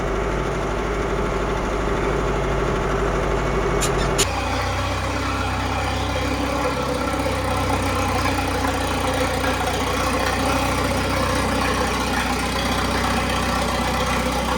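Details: Old Case tractor after moisture was dried from its distributor cap and the points filed: a couple of sharp clicks, then it settles into a steady, even low idle with no misfires and runs normally.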